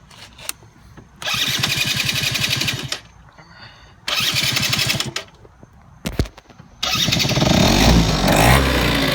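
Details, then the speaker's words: Yamaha Zuma YW50 scooter after pilot jet replacement, with pod-style air filter, recently ridden: two short cranking bursts, then catches and settles to a low steady buzzing idle, set deliberately low; starts and runs fine. "got it idling pretty low. I ain't see no sense of just letting it idle damn high as hell."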